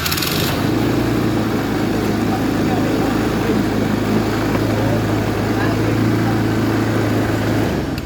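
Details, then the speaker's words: Honda Scoopy FI with a runaway-idle problem, started after refitting the ISC connector: settles straight into a fast, steady drone that never drops to low idle (spec about 1500 rpm); idle still too high, cause not yet found. "hasilnya masih nihil. Untuk stasionernya dia masih besar ya."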